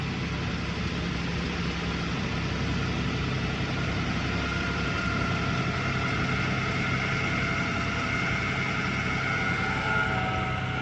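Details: 2009 Toyota Tacoma 4.0 1GR-FE at idle: thin, steady high squeal, intermittent for a year and worsening, cold or warm, gone with higher rpm; water pump, new alternator and power steering pump resonate equally on stethoscope; source not pinpointed.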